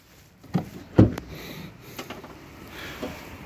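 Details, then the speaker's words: 2015 Kia Sportage SL tailgate opening and closing: a few sharp clicks and light rattle from loose black debris pieces inside the tailgate. "duydunuz değil mi kapatırken de yine aynısı bir Tıkırtı oluyor"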